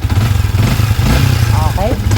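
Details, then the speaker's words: Yamaha Sniper 155 after clearing clogged top-end oil passage that had damaged the cams: first start after repair, low, smooth, even idle, quiet, no ticking, tapping or knocking. "Paandarin natin. Wow naman. Ang tahimik."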